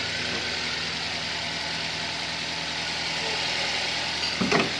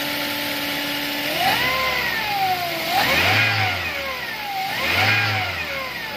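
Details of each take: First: Toyota Avanza after the alternator diode was replaced to fix stalling and alternator noise: smooth, even idle with a steady low hum and no whine or growl from the alternator; the charging side sounds healthy. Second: Toyota Avanza that stalled while driving, battery drained, revved: whining tone rising and falling with revs; alternator not charging, failed alternator diode.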